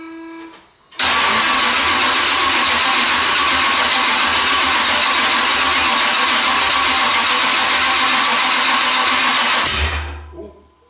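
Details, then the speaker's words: Oldsmobile Cutlass after engine swap, high-torque starter cranking fast on fully charged battery: steady churning about nine seconds without catching; crank no start as coil hot wire gives insufficient voltage, new 12 V feed needed. "i'm gonna have to run a new hot wire from the coil to the ignition i'm not getting enough voltage through the wire that's there to keep it to start it and keep it running"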